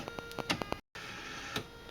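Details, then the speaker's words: Salvaged CD/DVD drive (drive number four) on a test rig, at power-up: quick bursts of sharp clicks and ticks, cutout, short whirr. Struggled at initial power-up; owner suspects too much twist in the tray. "well now it's wor working I'm not sure what that was before something about the initial power up it didn't like"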